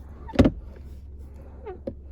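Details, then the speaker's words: Ford Focus MK4 centre armrest console: lid thumps shut, then short rising squeaky chirps and a faint plastic creak when only the first lid is opened and closed; the latch making the noise is unidentified. "我把这个关起来，我这拉起来，就有这个声音。也不知道是哪个卡榫发出来的"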